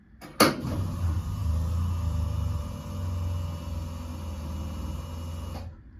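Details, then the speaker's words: Restored 2000 Ellery AU V8 Supercar, fuel pumps running for the first time in many years when the master switch is turned on: steady electric hum with a faint whine for about five seconds after a click; fuel pump priming and pressurising normally. "Our fuel pump is working."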